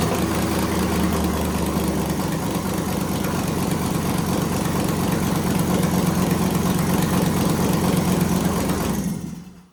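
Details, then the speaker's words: 1978 Jeep J10 desert race truck with LY6 LS V8 after cam swap, VVT delete and pushrod correction, first start: catches quickly, settles into loud lumpy even idle, no knocking or ticking; healthy, louder than before. "Sounds good to me. Nice. That's pretty freaking loud. Louder than before, right?"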